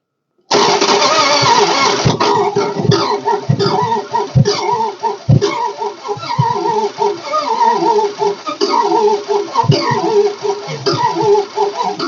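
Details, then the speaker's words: 1969 Imperial LeBaron off the road over 30 years, cranked on a jump pack: long crank with ragged, uneven catches and stumbles that never settle. Misfire, not sparking on all cylinders from disconnected spark plug wires; owner thinks it needs spark plugs; Marvel poured down cylinder. "it was getting it was getting enough power it was lifting up the The Hiway headlight that's funny yeah it's not sparking on all the cylinders that and the batter's dead"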